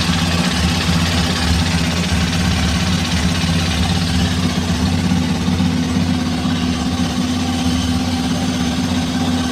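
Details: Hero Xpulse 210 single-cylinder engine, about 3,825 km, almost at second service, idling even and steady with no tappet ticking or tapping; valve train quiet and healthy, no tappet noise.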